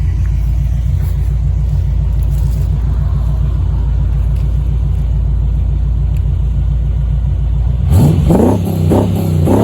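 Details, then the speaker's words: Chevy V8 swapped into a Range Rover Classic, driving: deep, even V8 rumble, smooth and steady, rising cleanly with revs; gearbox whine slightly louder at lower revs; healthy exhaust note. "yeah sounds pretty sweet um don't really expect it for the r oh well a little bit but not just deep you know I don't know if the microphone picks it up but it's really deep"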